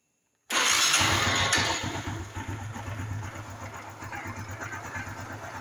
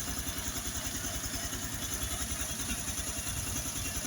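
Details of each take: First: Honda Biz 110i that won't hold idle when cold, cold start: engine catches, then a loud rough clatter over an uneven idle, described as like a connecting rod knocking, at idle and riding. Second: Honda Biz 110i that was hard to start cold and held idle only when hot from low compression, after the head was removed and the valves cleaned and lapped: steady, even idle around 200 beats a minute with light valve clatter. Normal, factory-like idle.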